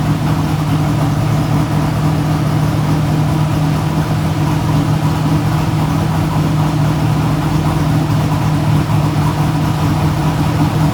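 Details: Idle of the V8 in a 1957 Chevy no-prep race car with a manual clutch, after repairs so the valves now seal. A deep, steady rumble with an even beat and no misses or knocks; smooth and healthy.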